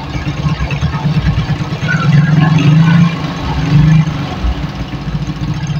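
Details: Suzuki Shogun 110 motorcycle just restarted after repair for lost ignition and charging (stator rewound); idle rpm a bit low on first run: low single-cylinder putter at idle swelling briefly mid-clip, then settling back; normal idle.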